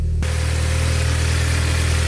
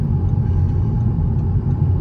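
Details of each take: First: Audi S3 8P with the 2.0 TFSI engine, just after its cold start once cranked with the coil packs unplugged to build oil pressure: steady, deep hum with an even low drone and no misses or knocks. The engine idles smoothly. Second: Audi S3 8P TFSI engine after it blew up at high speed following oil pressure loss: heavy, rough rumble with loose metallic clatter like a bag of nails, internal damage.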